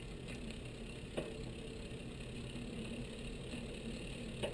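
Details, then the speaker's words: Bicycle rear derailleur with high-limit screw set well, chain on small rear cog during build; soft, even whir of steel chain meshing with only a faint occasional tick; normal chain meshing. "what we have here is I would call the Ambient sound of the chain the steel chain meshing on the Cog so let's let's give a listen to this this little symphony here"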